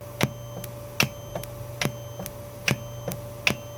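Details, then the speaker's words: Goldstar FA-785 integrated amplifier: sharp clicks pop through the speakers with every front-panel button press (mode, mute, loudness), over a low steady hum, independent of volume setting; cause under investigation. "기본적으로 출력은 뭐 그럭저럭 잘 나오고 있는데 모드를 바꿀 때마다 스피커에서 삑하고 노이즈가 나고 있어요."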